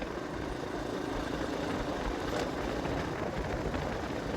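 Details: Kawasaki KLX 150 road test in fifth gear after a new carburetor (earlier cylinder block replaced): steady, even drone with no stumbles; the jerking it had before the carb swap is gone.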